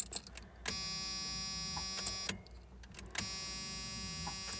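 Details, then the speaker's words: 1986 Ford F150 after replacing both fuel tanks, sending units and cleaning the tank switch reservoir: key at accessory, thin steady electric fuel pump whir cuts in, pauses, runs again evenly, priming to purge air and fill reservoir; normal. "I'm gonna turn it to the accessory position and you'll hear the fuel pump pump a little buzzing"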